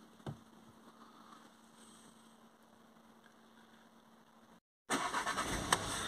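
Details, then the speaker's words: VW Golf GTI TFSI after replacing four spark plugs and an ignition coil and clearing codes P0301/P2302: petrol engine starts and runs smoothly after a few minutes, earlier shake and misfire gone; normal running. "okay so it's been running for a while now and fault codes are gone you can hear the engine is running smoothly hasn't got that shake misfire that i've had bef"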